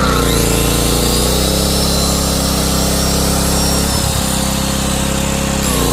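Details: Powermate PM2000i portable generator after carburetor replacement, test run: steady, even engine note with constant low hum, no surging or hunting, apart from one brief dip around four seconds; normal running.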